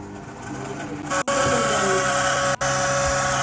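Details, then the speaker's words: Samsung microwave running: loud, steady droning hum with a rough edge from a failing fan motor; fixed by replacing the motor, after which the noise is checked again. "इसमें problem क्या है? मैं आपको दिखाता हूं। इसमें जो है साउंड आ रहा है।"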